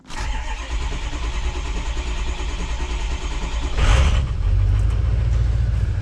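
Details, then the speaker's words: 2003-2007 Ford 6.0L Powerstroke diesel: starter churns about four seconds before catching into rough idle; suspected high-pressure oil leak, needs 500 psi injection control pressure to fire, ICP duty cycle high at idle. "So you see how long it took to fire that damn thing?"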